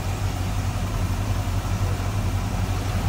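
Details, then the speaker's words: 1965 Pontiac Catalina convertible V8 with power steering and power brakes: steady deep rumble with even low pulses and no knocks or ticks. Smooth, normal idle. "power steering power brakes first strike out smooth running for 89."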